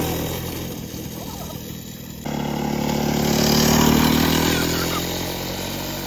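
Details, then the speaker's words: Restored Victa two-stroke go kart, clutch adjusted so it no longer scrapes, brake on: starts and settles into a steady even two-stroke idle with no scraping; running properly now. "Got the clutch so it's not scraping there, but the brake on. The motor's just idling. I think I've got this set up perfectly now."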